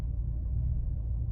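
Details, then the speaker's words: 2005 Maserati Quattroporte with electronic faults, warm idle after 15 minutes; at 195°F it dropped 800 rpm and settled near 925 rpm, VVT seemingly adjusting. Smooth, even low rumble, no misses, ticks or hunting; owner notes slight jumping, suspects plugs. "idling absolutely beautifully. I daren't touch the throttle. It's up to temperature."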